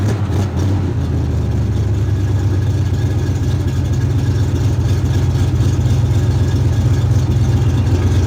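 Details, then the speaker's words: 1972 Chevrolet Chevelle, sat five years, running with alternator at 14 volts, 50 psi oil pressure, 6.5 psi fuel pressure: deep, even V8 rumble holding steady with no misses, knocks or rattles; healthy. "this is exciting now you can hear the exhaust neck a note without it i like it"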